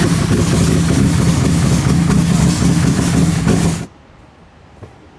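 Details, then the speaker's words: Outlander quad after being sunk in water, restarted in the garage; uneven, lumpy idle with an irregular beat around three per second before it cuts out; owner suspects water still in the fuel. "well guys the big Outlander is back in the garage and it does run but it does not run well now what I think the problem is I think we still have water in our gas"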